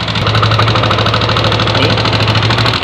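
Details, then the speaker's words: Yamaha NMAX (early generation) scooter idling with a fast, hard ticking over the hum; head cover removed, the exhaust-side rocker arm bearing was found broken. "ini kalau kita lihat ini jebol ini klaharnya bearingnya jebol ini satu ini"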